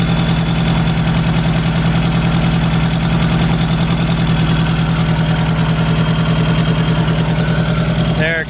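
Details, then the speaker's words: MK1 Golf 1.8T AWD project car, first start after refuelling, warm-up idle settling down: loud, rapid puffing tick in time with the firing, engine otherwise running pretty good; a really big exhaust leak. "so i have a really big exhaust leak i can't really hear anything else all i hear is that exhaust leak it seems to be running pretty good though"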